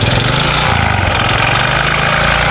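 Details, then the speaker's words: Honda Supra 125 motorcycle revved: harsh rattly clacking louder as throttle and rpm rise, quieter at idle; mechanic suspects connecting rod/piston pin area, connecting rod big-end knock. "jadi ini menurut saya ini kemungkinan-kemungkinan ya prediksi sementara ini setang piston ya pen piston pokoknya area itu ya"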